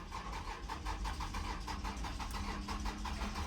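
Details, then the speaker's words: 2009 Toyota Venza cranks but won't start: starter spins the engine at an even rhythm, about six beats a second, but it never catches; battery somewhat low, cause not yet confirmed. "All right, so this is literally what happens. It's just a crank, crank, crank, crank, crank, crank. I know the battery's a little bit low, but it should have started right now."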